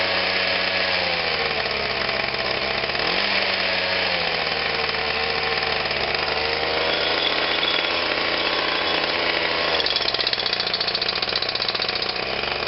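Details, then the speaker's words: Atlas Copco Cobra TT breaker after a throttle cable replacement, cold start. A high, buzzy, racing drone swings up and down in pitch; the engine is overspeeding with the butterflies seen shutting off. The throttle needs adjusting; cause not confirmed. "sounds like we finally got home on out but it sounds like it's very fast of what it is I can see the butterflies shutting right off"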